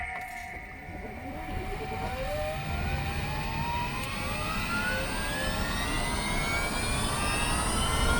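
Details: Mazda MX-30, heard inside the cabin while driving: motor whine climbing with road speed over a low rumble and faint rattle from the driveline, with vibration; ticking varying in strength; two Mazda workshops have not fixed it.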